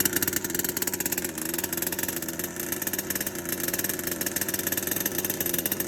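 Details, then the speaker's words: HPI Savage Octane RC two-stroke after rebuild, timing sensor repositioned, needles at base settings: fast, fairly steady idle with light blips, no misses or rattles; runs healthy, base engine had no mechanical issue. "so the octane is running there were multiple things wrong with this car okay so to start with the the base engine was good now there was no mechanical issue with the engine"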